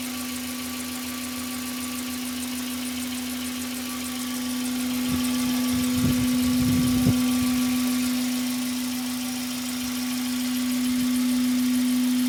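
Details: Hyundai Coupe Tuscani at idle: steady whining hum with a regular light tick about four times a second; unusual engine noise of unclear cause. Glitches near 0:10 and 0:23 are loading artifacts, not real sounds.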